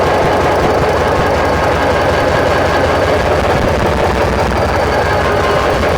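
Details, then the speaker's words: Former CSX SD45-2 locomotive diesel running with the previously stuck injectors disconnected; loud, steady run with uneven popping knocks as each injector is manually cut in via its linkage. Number 7 showed a hitch. "So what I'm going to do is I'll let it run, and then I'll walk through and pop each injector by pulling back on the linkage. And it'll be kind of noisy, so we'll see."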